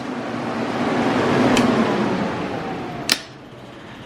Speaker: kill it see if our fan works oh you guys can probably hear that nice